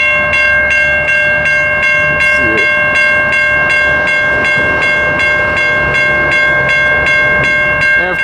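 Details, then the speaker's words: Railroad crossing (Richard Arrington Jr. Blvd #1, Birmingham, Alabama, NS line): bells ring steadily, about eighty strikes a minute, with no train; crossing malfunctioning. Stored ballast hoppers nearby were suspected as the cause; a maintainer later fixed it and replaced blown bulbs. "all right i'm out here at richard harrington junior boulevard number one in birmingham alabama as you can see the crossing is malfunctioning"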